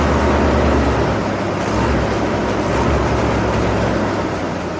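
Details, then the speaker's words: Jeep Comanche first start after 10 years sitting, with a new fuel pump fed via a jumper at the relay and very bad old gas in the tank. The engine catches into a low, uneven idle that sags and nearly stalls. Valve cover leaking. "all right so it runs it freaking runs oh it sounds like he's gonna die it's really bad gas that's in there like really really bad gas"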